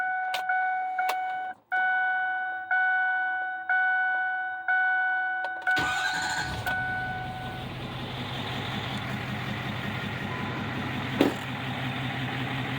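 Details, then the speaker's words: Ford 6.4 Powerstroke diesel towing build, about 60 miles since build, over 10,000 lbs, at over 6400 ft elevation: quick crank and clean catch into a smooth quiet idle, barely any diesel rattle, soft turbo whistle, slight exhaust clip; healthy engine. "I say this thing is as quiet or quieter than a new six seven um has almost imperceptible diesel that typical diesel rattle you barely even hear it a little exhaust clip here that turbo whistling nice and soft"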